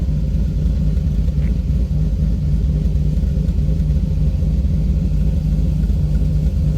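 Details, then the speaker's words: C3 Corvette restomod V8 idling after two 16" stainless resonators were added between the X-pipe and mufflers: deep, even rumble with no rasp, leaks or rattles; sounds good. The right-side pipe has dropped about 1/4–1/2 inch and needs straightening. "I got to straighten that out. But other than that, sounds good."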